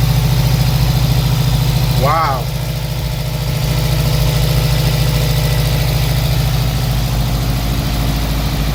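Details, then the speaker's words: Subaru WRX with JDM replacement engine (fourth engine), first start after oil and fuel priming and coolant fill: smooth, even idle with no knock or tick; engine sounds healthy. "and we will start it for the first time after four motors let's see if this one is the last one oh yeah [Music] oh yeah that sounds nice"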